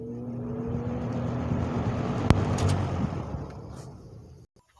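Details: 1970s Lakewood 20-inch box fan, service and oiling history unknown, running on medium speed: a steady low hum with a soft whoosh of air at even pitch, dying away near the end; normal running.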